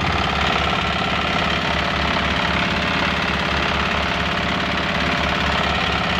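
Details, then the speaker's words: Single-cylinder diesel after manual injector nozzle adjustment, set outside then refitted, with the injection pump pressure steady: steady, even thump about twice a second, no misses or extra clatter; the engine now sounds light; normal running. "Nah, ini sudah ee kedengaran enteng ya, Guys, suara mesinnya."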